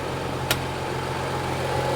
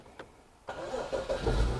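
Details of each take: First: 2015 BMW 640i, brought in for intermittent no-start after shutdown: starts on battery charger, smooth steady idle with faint hum, no stumbles or rattles. Charging system reads 14.29–14.30 V, alternator good; cause was a defective battery, then replaced. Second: 2015 BMW 640i with intermittent no-start from a defective battery, charging system fine: with battery charger connected, short crank and engine catches into a rising idle. Hard start from a weak battery needing charger help.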